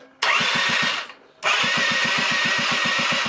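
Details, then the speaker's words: 1996 Rexy 50 two-stroke scooter, a barn find, at its first start attempt after 13 years: two bursts of electric starter cranking with even compression pulses, about six per second, engine turning freely; healthy cranking. "sind wir mal ganz mutig und versuchen mal den stter derter geht"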